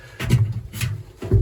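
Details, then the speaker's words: Candy heat pump tumble dryer, drum burst and patched with chemical metal: irregular low clunks and scrapes as the drum is hand-turned, catching at points; owner suspects the glides or ball bearings. "Oh dear me, it's catching. There's either glides or ball bearings in there, and it's catching on them."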